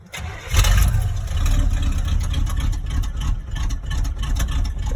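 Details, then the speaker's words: 1986 Chevy K10 V8 on an icy, snowy day, choke unhooked, gas pedal pumped: short crank then rough, uneven, wavering rumble; hard cold start, usually takes four or five tries and stalls before idling. "it takes like maybe four or five tries to get this truck to idle so there's it'll it'll start up and die a lot before it'll get to idling"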